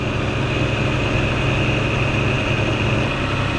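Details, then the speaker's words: 1995 Nissan Pathfinder XE after timing belt, roller/spring, water pump, thermostat, belts, plugs, coolant and oil replacement: even, steady low idle hum, no squealing or misses; much smoother than the squealing before the repair; normal idle. "wow it's actually running really well right now nice i'm liking this so far oh yeah it sounds it's sounding really nice it sounds so much smoother than before"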